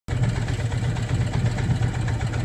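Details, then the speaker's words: Motorcycle at 60,000 miles, warmed up, idling in neutral: steady low idle with uneven rumbling undertone that goes away when the clutch is pulled in; owner suspects a bearing, unsure; abnormal idle noise. "that's the sound of the engine at idle out of here after it's warmed up it's that sound"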